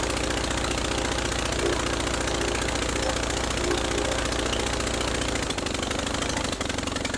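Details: Rebuilt Praga B2 aero engine, last run 1 September 1939 on Hillson Praga G-AEYM, test-run bolted to a Vauxhall, at full throttle with lots of smoke: fast, strong, even pulse at high revs dropping away as throttle closes; running sound and healthy.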